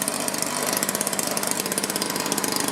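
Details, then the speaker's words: 2-cycle Stihl blower after no-spark/weak-spark repair, choke on, warming up before low and high carb adjustment, restrictor caps fitted: high steady buzzing with even firing, no sputter; normal running. "choke on power on oh that sounded strong right [Applause] away down here a let it warm up and I'll adjust the low side and then the high side"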